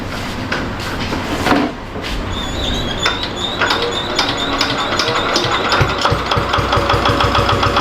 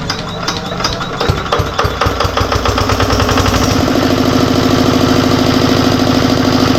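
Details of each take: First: Diesel generator that smokes heavily on starting: right after start the engine labours under heavy load with an uneven, dragging beat and nearly stalls, blamed on an alternator problem. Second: Diesel generator that smoked heavily and ran overloaded because of an alternator fault: after the alternator's burnt component is disconnected, rough knocking settles into a steady, even diesel beat of about three per second, running free and unloaded. Normal running.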